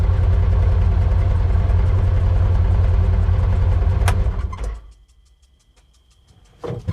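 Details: 2016 Polaris Ranger 900 XP with crank-no-start issue, after throttle body cleaning, new spark plugs and fresh fuel; catches quickly and settles into a steady, even low idle for about four seconds: healthy start.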